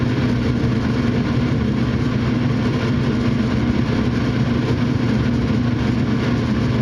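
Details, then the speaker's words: Furnace after a dirty, bad flame sensor was cleaned, with igniter and flames on; a steady, even burner and blower roar that holds without clicks or cutting out, running normally. "flames are on and now it's running. So, in this case, that's all the problem was is just had a bad flame sensor."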